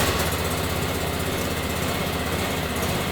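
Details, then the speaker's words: John Deere X728 four-wheel-drive lawn tractor after dealer repair and new aftermarket starter: even steady engine drone with no knocks, misses or hunting; smooth healthy idle. "nice smooth running motor"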